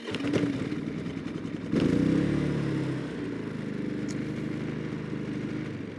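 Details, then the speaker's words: Predator (Harbor Freight) inverter generator, eco throttle on, no load, measured at 30 feet (about 59–63 dB): brief startup surge settling into a low, steady, even hum with no hunting or rattle; normal idle. "So the eco throttle is on as well. So this is going to be as quiet as it can be, essentially."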